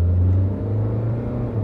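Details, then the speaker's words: Toyota Corolla on road test after intake manifold gasket replacement and a tightly clamped intake boot, previously shaking and hesitating: steady low engine rumble pulling smoothly from standstill, no stumble or shake; pep restored, normal acceleration. "got plenty of pickup for a toyota corolla let's face it it's not a race car but now it's going perfectly fine you can hear the engine going from zero to 130 now so you can't complain the pep is back"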